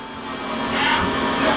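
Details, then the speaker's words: Tsugami PL3 CNC gang tool lathe, Fanuc control, 5 HP spindle, 5,000 rpm max, dry without coolant, G71 rough turning cycle with WNMG 432 roughing tool. Spindle whir swells into a steady, smooth, even cutting hiss as the tool passes; running normally. "It's a solid little machine, and it can take a good cutsy cut. And now we're doing a G71 rough turning cycle"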